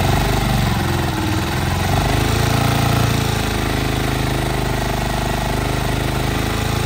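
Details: 2021 Honda TMX 125 started after little use, possibly weak battery, choke raised slightly: quick steady popping of small single at slightly raised idle, even and unbroken; running fine.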